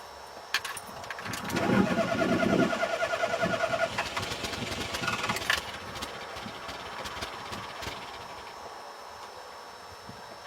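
Starter spins the engine over at an even, quick rate for several seconds but it never fires or catches; cranks, won't start.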